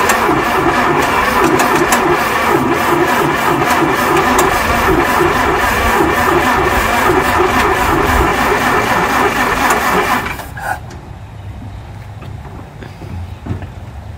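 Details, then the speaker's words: 1930 Ford Model A Fordor, first start after 40 years in a barn, oil changed, plugs cleaned and regapped, oil in cylinders: fast, uneven beat about 3.5 per second then cuts out near ten seconds; runs poorly, oil smoke out back. "we have a problem well it's running after sitting in a barn for 40 years it's running it's not running very well but it's running"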